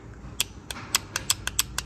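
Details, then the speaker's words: Barra turbo project, boost control solenoid removed and bench-tested with a power probe, WD40 sprayed through its ports: crisp sharp clicks, about eight in two seconds, in a quiet room. The solenoid is switching normally and working. "it will disrupt the flow at the bottom and it'll vent it out and it seems to be working fine"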